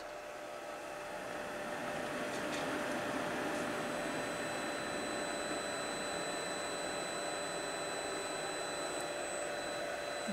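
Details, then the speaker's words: Newly fitted Chinese diesel heater with backup battery at startup: smooth airy whoosh rising over a few seconds to a steady whir with faint high whine, the fan spinning up normally. "fan running one minute later there lovely Jubilee"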